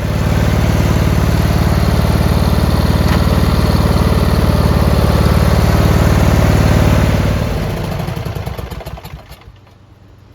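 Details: Briggs Intek V-twin on a Craftsman LT1000, after the sump gasket repair, once an extra spring was added to the homemade governor linkage: an even, steady beat for about seven seconds with no hunting, then it winds down and stops. Surging is cured.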